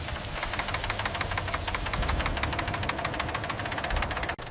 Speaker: This is called rod knock, one of the most dangerous engine noises. This usually happens because of low oil or worn internal bearings. Without lubrication, metal hits metal.